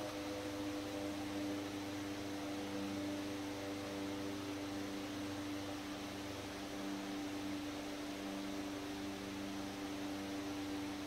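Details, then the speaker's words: 100-plus-year-old restored Century S-3 Model 15 desk fan on speed 5 (slow), on wall power: smooth steady hum, even mid-pitched tone, no ticks or rubbing; normal running. "And number 5, which is called slow."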